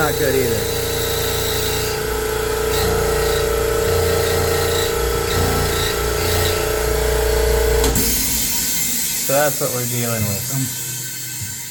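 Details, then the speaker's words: Air compressor in noise-suppression cabinet, running: loud steady drone with sustained high squeal and loose cabinet panels flopping and rattling; panel rattle and squeal, squeal source unclear. "figure out how loud these panels are like I don't know why they're flopping around like that it's no good but it is loud and then you hear the squealing noise that thing's making"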